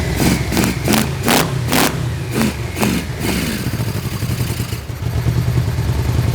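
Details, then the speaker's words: Barn-found Yamaha Vmax V4 started for the first time in years after fuel-system and wiring work, running with no airbox: sharp throttle blips returning to an even idle. The engine sounds good. "The engine sounds good. It's starting to sound better."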